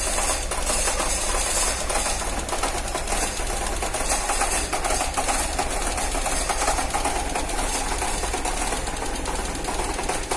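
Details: Car engine cold in the morning idles unevenly and shakes, with a constant loud, fast ticking throughout; rough cold-start running with ticking, cause unknown.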